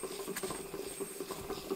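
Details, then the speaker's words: Skoda Octavia alternator, hand-spun after grease-solvent wash: light uneven dry rattle and ticking; bearing balls running dry, grease washed out, some rust; bearing replacement or refurbished unit needed. "Kolompol benne a csapágy. Hallatszik, hogy a csapágygolyók szárazon járnak, mert, mert kimosta a zsírt."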